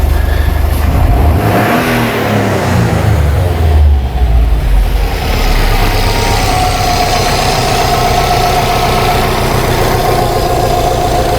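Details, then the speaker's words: 2008 Subaru Legacy with a stalling complaint, cam sensor codes for bank one and misfire codes. The engine revs and settles back to a steady idle. The scope shows both cam sensor signals inverted at idle but correct when revved; the cause is unknown. "so we're pulling down we're pulling up so this is right and this is wrong we rev the car and it gets right we idle the car and they're inverted and it's both sensors"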